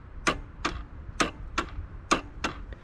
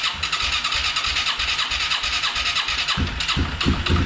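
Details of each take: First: Yamaha Moto 4 ATV that sat over 20 years, neutral light on, pressing start: sharp single clicks about once a second as the relay clicks but the engine won't crank; only about 6 volts, bad ground or seized engine suspected. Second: Yamaha Moto 4 ATV that sat over 20 years, first start on a temporary fuel tank and booster pack: the single fires in loud bursts that cut out and restart a few times before running steadily.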